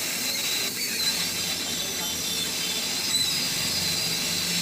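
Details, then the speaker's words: Sunshine 857DW+2 SMD rework station air pump, which was noisy and gave no air after 10 days, after opening and refitting: steady even rush of air at settings from about 5 or 6 up to 29, no rattle; normal air pump operation. "अब इसका sound सुनो किस तरह से sound आ रही है और पहले किस तरह से आ रही थी बहुत बढ़िया साउंड हो गई"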